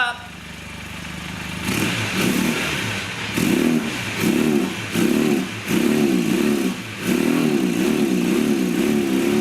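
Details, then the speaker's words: 1982 Honda Nighthawk 450 parallel twin, first start in over eight years after carb cleaning: short throttle blips about once a second, revs rise and fall back, can't get it wide open yet; not at full potential. "well there you have it it's not running at its full potential i can't get it wide open just yet"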